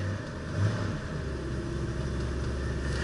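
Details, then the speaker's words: 1966 Mustang warming up after exhaust rattle work, choke partly backed off, with a little throttle to warm the oil: deep steady low rumble with an even beat, no knocks or misses; normal warm-up idle. "oh gosh this thing runs great yeah I'll spin up the a little bit warm up the oil back the choke off about"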